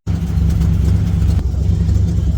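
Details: A 1972 Chevy C20 V8, which sat for years, idles with a deep rumble, an uneven pulse and a brief stumble: a primary misfire, first suspected on cylinder one. Compression is somewhat low; the clip follows cleaning and gapping a spark plug, and the cause is unconfirmed.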